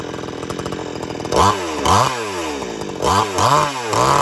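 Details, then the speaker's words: Old-school chainsaw just started with the choke pushed in: a two-stroke buzz with a few quick throttle blips, then the trigger drops it from fast idle to a settled, even idle. Normal idle while warming up. "And when you got it running, hit the trigger to stop it from idling fast and get it go back to idle. Once it's warmed up, you're ready to go."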